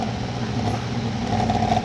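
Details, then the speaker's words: Toyota Camry (about 2000) radiator cooling fan: steady drone with low uneven flutter and faint whine, fan wobbling and jumping despite tightened bolt; noisy, wobbling fan. "entonces lo que le estoy tratando de explicar ahorita que al prender Pues cuando prende esto el abanico se escucha un ruido y anda como bailando"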